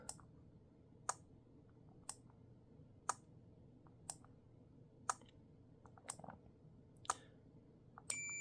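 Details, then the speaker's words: Arduino-built wind regulation controller for a pendulum master clock with do-not-disturb engaged, slave clocks shut off: four silent crisp relay clicks about once a second, no beep, quiet room; working normally. "we already had two clicks for daytime and now we're gonna go ahead right now we'll get four silent uh clicks"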